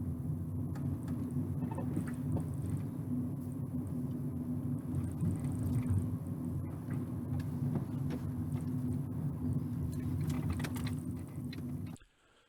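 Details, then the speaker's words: Ford Ka after left-hand (near side) front wheel bearing replacement, road test at 20 mph with NVH microphone and accelerometers: steady low road rumble, no growl or drone; normal wheel bearing noise. "so left hand front wheel bearing replaced and we're at 20 miles an hour now"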